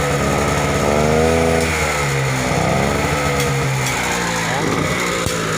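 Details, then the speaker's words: Generator small engine, runs but produces no electrical output: revs rise when throttled, then sag back once released; won't hold speed on normal throttle, only stays up if throttle held high. "Ini tadi mesin sudah kita hidupkan nyata di sini memang tidak mau naik dengan gas normal apabila kita tambah atau kita tinggiin gas melalui sini kita cucuk itu bisa naik"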